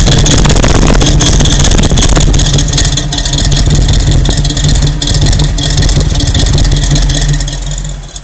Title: Rough idle